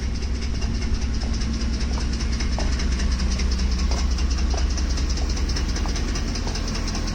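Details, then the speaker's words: Ford F-150 3V Triton V8, hot at idle: loud, even sharp-ticking clatter from the top of the engine, audible from inside the truck, only when hot; suspected timing chain loosening with heat, or possibly a camshaft problem, unconfirmed. "I do have to believe this is some kind of timing chain issue. A timing chain, scroll timing chain, and the engine is hot. What happens? Chain expands, chain becomes a little loose."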